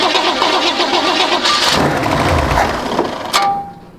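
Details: 1953 GMC pickup, first start on starting fluid with weak battery: engine catches and revs up cleanly under throttle, no knocks or misses heard.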